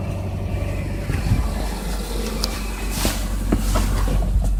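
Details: 2005 Subaru Legacy 2.0L petrol idling with a low uneven knock about four times a second over a deep rumble; owner unsure whether rod bearings or piston slap.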